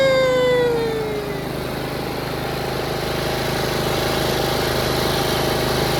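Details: Yard Machines 38" riding mower, 13.5 HP Tecumseh, after fixing slow cranking and no-start: a short falling tone, then a steady, even single-cylinder run with no knocks or misses. Healthy running, charging at 13.5 volts.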